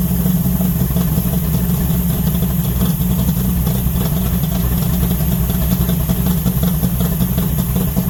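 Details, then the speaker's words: 1970 Charger 640hp Mopar stroker V8 revived after sitting, transmission separated, warming to 190° at 75 lb oil pressure: deep, loud, slightly uneven loping idle, no knocks; owner suspects timing needs work or new gas. "So, So, it sounds like her timing might need a little bit of work, but that could just be that the new gas in there."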